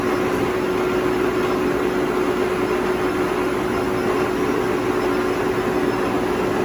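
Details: 2000 Toshiba BTD-110.R16 CNC horizontal boring mill, CAT 50 tooling, spindle running: smooth constant hum with one steady tone, no knocks or grinding; spindle runs evenly and normally.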